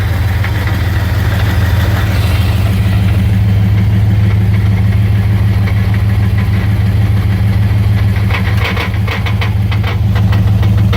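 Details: 1999 Dodge Ram 1500, 5.9 V8 with 4-speed automatic, idling in park only: a loose metallic rattle about two beats a second; owner suspects flex plate or torque converter, cause unknown.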